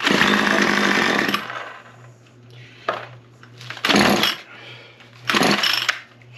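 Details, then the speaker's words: Small two-stroke engine: it catches and screams about a second, then dies to weak pops on later pulls. The mechanic suspects worn-out carburetor diaphragms. "I think these diaphragms are probably just wore out so we're going to go ahead and fire it a couple more times see if we can get it to run and uh just loosen up the diaphragms that could be all it's needing"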